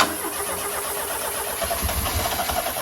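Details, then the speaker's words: Fiesta RS Turbo, stored 17 years and original spec except the exhaust, fuel gauge reading empty. On starting spray the engine catches and stumbles but can't hold idle: fuel starvation from a failed fuel pump. "Fuel pump's not having it. It's going in, tank's coming out. We're going to rip this pump out."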